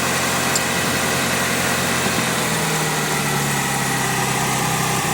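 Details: Evo 7 engine swapped into an Evo 2, idling after power steering hose replacement and system bleed: steady, even idle with a smooth hum and no whine or groan from the steering pump; engine and power steering sound healthy.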